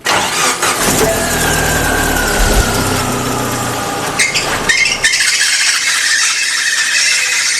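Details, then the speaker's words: Car squealing harshly whenever the steering is turned: sharp, high squeal holding a steady pitch over the engine after start-up, then sliding down; power steering pump belt worn thin to the pulley groove bottom and slack, tensioner maxed out. "有一辆车呀，在行驶的过程中，只要是打方向，噪音异响特别大，而且还特别刺耳。"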